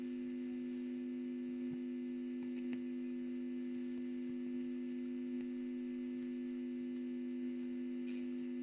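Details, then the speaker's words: Telefunken Jubilate tube radio on its first power-up during restoration, at about 214 V drawing 130 mA, volume and tone at max: a loud steady low drone drowns a very faint clear station; mains hum from failed filter capacitors. "lots of hum [Music] but it's picking up something very very faintly but it's it's actually clear but very faint lots of harm obviously so the filter capacitors need changing"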